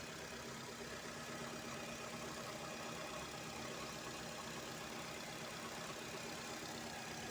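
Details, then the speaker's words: Used car for sale, engine heard from the front; steady even idle with no knocks or misses and only a slight recording hiss; seller says it still sounds smooth and solid, adding phone audio sounds rougher than in person. "Ini posisi mesin sudah menyala. Suaranya masih halus bosku ya."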